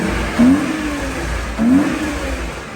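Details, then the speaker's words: BMW E61, warm engine, two quick rev blips: light tick and top-end rattle of unknown source, likely the valvetrain area; the car also still needs an alignment. "it's got a bit of a bit like top end rattle can you hear it I just all I've done is moved it about it still needs an alignment and stuff it's pretty warm got a bit of a tick I don't know where it's coming from"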